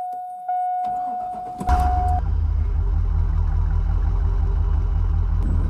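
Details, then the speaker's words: GMC Sierra 2500HD 6.0 petrol V8 started with an AUDEW jump starter: short crank catches at once, settles into smooth even low idle; normal start. "As you saw, the AUDEW started this easily."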